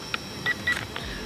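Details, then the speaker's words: JY011W knock-off transforming toy drone controller: short high beeps, sometimes one, sometimes two, from the same flip/emergency-stop button press; inconsistent, apparently faulty. "Well, do you hear the different beeps? Yeah, uh-huh. That's the same button. It's doing the same thing now. It's just messed up."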